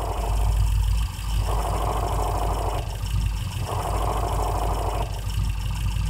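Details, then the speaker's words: Worn, dry clutch release bearing at idle: a gritty whirring comes in for about a second whenever the pedal is pressed and drops away on release, repeating as the pedal cycles. The bearing contacts the pressure plate while the pedal is down. "esto es por el collarín Que al momento que el pedal está abajo el collarín hace contacto con el plato opresor y se escucha cuando tú sueltas el clutch se deja de escuchar"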